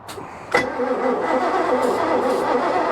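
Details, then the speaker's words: 1988 Bayliner Avanti 3250, 260 HP 5.7 L Chevy 350 with OMC Cobra outdrive, sat 6+ years, ether used: starter cranks steadily but it never fires; no spark, likely from distributor points covered in corrosion, goop and burn marks, which were then cleaned. "you can see they're completely uh covered in [Music] corrosion and some kind of goop so this is probably why we had no spark"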